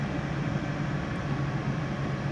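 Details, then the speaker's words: 2003 Lincoln Navigator 5.4L V8 (crank-no-start complaint) now starts and settles into a steady, even low idle with no hunting or misses, confirming the fault is the fuel pump relay in the junction box; replace junction box or bypass relay. "as you can see the vehicle did start but no problem so that just verifies hundred percent our problem it is the fuel pump relay"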